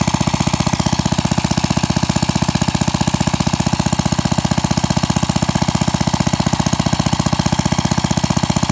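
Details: Pre-WWII Briggs & Stratton model WM single-cylinder, freshly rebuilt with a 0.010" oversize bore and NOS piston and rings. It has run about an hour and is breaking in. Fast, very even exhaust pops, no knocks or misses, running healthy.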